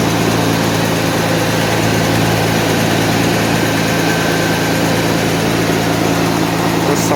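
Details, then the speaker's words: 1991 Mercedes 190E after hydraulic lifter replacement, fully cold fast idle around 1,200-1,300 rpm: loud busy steady drone with raspy puffing; owner suspects a tiny pinhole or seal leak in the exhaust; loud cold idle. "I think it's like a pin hole somewhere a tiny little seal on the exhaust"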